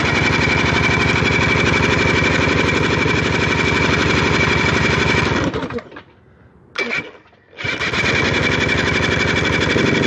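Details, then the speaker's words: 1981 Evinrude 35 HP two-cylinder outboard, gearcase off, weak starter, number two spark plug removed: sharp even popping about four beats per second, cutting out and restarting briefly; running on one cylinder; compression 150 psi both cylinders. "wherever want to start a motor it's got a weak starter just pop one of the spark plugs out running on one cylinder"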